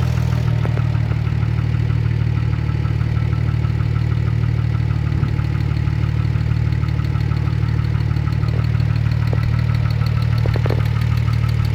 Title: Weird engine noise